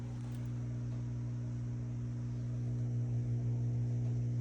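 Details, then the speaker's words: Whirlpool stacked washer not draining or spinning, drain-and-spin cycle with door locked: drain pump gives a steady low hum with no water flow; a clog or something holding back the impeller suspected. "so we might have a clog or something is holding back the impeller so you don't want to keep running it CU it's not draining"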